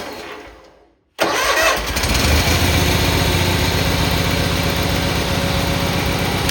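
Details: Cub Cadet 782 lawn tractor after choke cable repair, started on choke and then opened: after a moment of quiet the engine catches at once and settles into a steady, even, low-pitched idle with no misses or knocks; normal start and idle.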